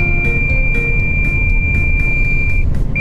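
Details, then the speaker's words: Long-haul cabbage truck driving: high repeated beeps about twice a second over cab rumble, low coolant warning; driver suspects radiator short of water, overheating risk. "冷却水不足という警告音がさっきからピーピーピーピーなってますこれはとてもよろしくない状態ですはい"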